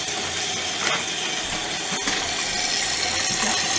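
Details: Toilet tank refilling after installing a Fluidmaster universal all-in-one repair kit (old parts ruined by hard water): steady rushing hiss of water with faint valve chatter, no squeal or hammering; new fill valve refilling normally.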